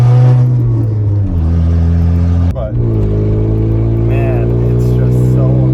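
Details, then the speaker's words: Volkswagen Golf before exhaust repair: loud deep raw unmuffled drone swelling and dropping with revs, exhaust open where the cat pipe broke away; exhaust leak, later fixed with new exhaust. "time to fix this exhaust man it's just been too loud too long today we're fixing that right now"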